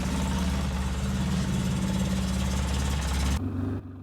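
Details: 2003 Polaris Sportsman 600 ATV after welding a cracked part: steady even single-cylinder thump with no puffing or ticking, then switched off; sounds healthy.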